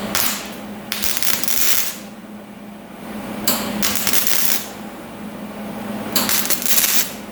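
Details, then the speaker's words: Flux-core wire welding thin sheet metal with a cut-and-butt joint: uneven bursts of crackling arc under a second each with pauses, a hesitation between striking the arc and getting penetration, adding heat to the sheet. "Okay, what I'm noticing here, if you go back and listen to it again, there's a hesitation when you first strike the arc to when you get penetration."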